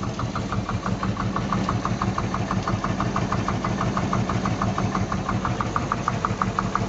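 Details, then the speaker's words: Luhrs 28 boat, 350 engine: sharp regular tick-knock about three per second over steady idle, loudest at the number six valve side by stethoscope; #6 cylinder zero compression, persisted after Marvel Mystery Oil; owner suspects stuck number six valve or spring, not confirmed. "okay I got an engine with a high noise a high knocking noise and I hope it's not a uh the flywheel the crank uh it sounds like it's coming out of the"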